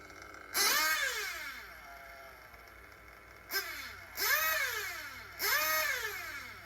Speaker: revs pick up nicely high speed needle is good